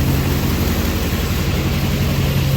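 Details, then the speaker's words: Duramax diesel-swapped Cadillac Escalade with full exhaust, lift pump primes and it fires right up with no check engine light: deep, steady diesel idle, even low rumble, no knocks or misses, much quieter now; normal diesel idle. "man it's a lot quieter now with the full exhaust dang it not really what i wanted but that's not a bad thing"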